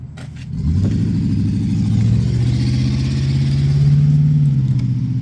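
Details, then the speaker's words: 1994 Ford F-150 V8 before repairs, missing badly on a passenger-side cylinder, tapping, oil pan leaking: lumpy, uneven low pulse with a stumbling beat instead of a smooth rumble as it picks up; engine misfire, not a cam. "that thing is missing that is not a cam"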